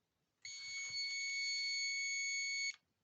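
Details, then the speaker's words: Aneng ST181 digital clamp-on multimeter on continuity setting: steady, fairly quiet high beep for about two seconds while leads touch; buzzer works, speaker just weak. "not the loudest sounds like the speaker is pretty puny but it works"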